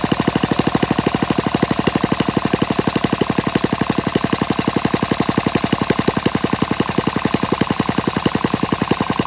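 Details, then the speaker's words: Warm Briggs & Stratton flathead mini-bike engine with PZ19 carburetor, on a stand with no load and no muffler: sharp, rapid open-exhaust popping keeps an even beat at a steady speed; runs fine. "this has worked it seems to work just fine with the pz19 carburetor"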